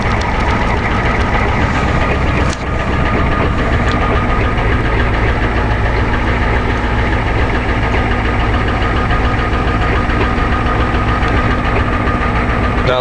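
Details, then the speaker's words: 1990 Ford F250 7.3 diesel cold start at -15°C, barely starts: idles with loud uneven clatter and rattle, about three to four pulses a second; owner suspects injectors. Rough cold idle. "Oh boy. You're not gonna want to start, you son of a bitch. Oh yes. Oh God, thank you. Those injectors aren't helping."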